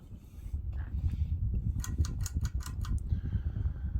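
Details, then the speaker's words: Hunter Original 52" ceiling fan from 2003 at medium speed: steady slight hum with faint ticking and swishing as oil sloshes in the motor bearings, deliberately left underfilled for the demo; otherwise smooth, slight wobble. "here's medium fans got a slide hum to it you can hear the oil sloshing around in the bearings other than that pretty smooth"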